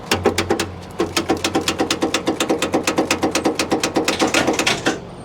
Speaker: So what we have here is a solenoid that is failing or loose wires.